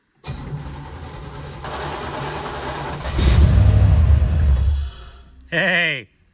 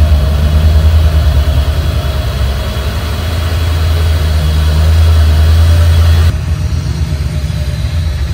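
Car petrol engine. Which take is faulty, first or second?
first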